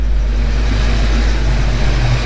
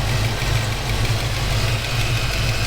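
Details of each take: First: Ford Mustang Foxbody V8 after a cam swap, ticking fixed, next day: steady, deep idle with an even low rumble and no ticking on top; good oil pressure and temperature; healthy. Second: Foxbody Mustang V8 soon after a cam swap: steady idle with a light, rapid tick that worsens as it warms; the stethoscope suggests the area between cylinders 6 and 7, and a valvetrain cause is suspected, not confirmed; engine ticking.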